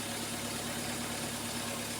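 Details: 2011 Ford Ecosport, Zetec Rocam engine, after replacing the coil 2 and 3 driver in the ignition module: steady, even hum with no misses or stumbles. Normal idle on all cylinders after repair.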